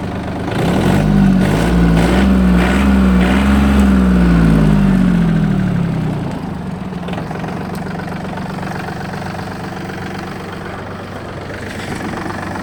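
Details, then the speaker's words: Yanmar AF226 4WD diesel mini tractor, 1472 hours: starts very easily, then an even diesel clatter settles to a steady idle around 200 beats a minute with no misses or knocks; runs smooth. "давайте же перейдем к самому интересному именно к запуску двигателя запустился прилетели очень легко работает ровно"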